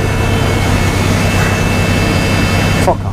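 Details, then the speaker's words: Bus air tanks charging: a loud steady rushing hiss over a low engine drone, then it drops away near the end; normal air tank charging noise. "What is that? The air tanks."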